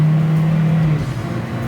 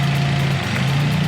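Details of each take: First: 2016 Matiz Creative (Korean city car) during acceleration test after replacing simple consumables for check-engine light and unstable fluctuating RPM: engine pulls smoothly, note rising and falling evenly, exhaust no longer raspy tuned-muffler-like, original stock sound; normal acceleration. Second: 2016 Matiz Creative with check engine light, fluctuating RPM and a cylinder 4 misfire code: low idle hum with a brief stumble and dip; a torn intake hose is leaking air, temporarily fixable with tape.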